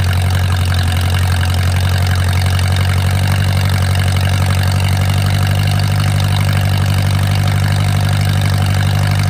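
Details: Mercruiser 470 3.7L marine four-cylinder, first run in 16 years after fuel reached the carburetor; steady even low rumble, smooth unbroken beat, no knocks or misses. Automatic choke not working properly, owner suspects his wiring. Normal idle.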